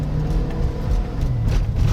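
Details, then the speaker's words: GM Yukon (99–06 fullsize) after wheel bearing replacement, slow turning test drive with traction control toggled: only low even road rumble, no whine, hum or errors; bearings healthy. "no whines no noises and no errors well guys we took it around the block a couple times again there were no signs of the whining or humming noises"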